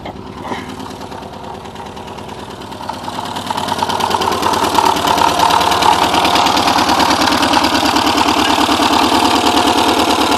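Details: Porsche 944 just started after over ten years sitting; timing belt tensioner pulley fell off in 2005, bending all exhaust valves. Rough, chuffing, lumpy stumbling idle that picks up as it runs, smoking badly: misfire from bent valves.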